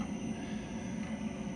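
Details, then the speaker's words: Motion variable-flow hydraulic filter cart, pump running primed: smooth, even low drone with no rattle, gurgle or surging. Normal, properly primed pump run. "nd it sounds good."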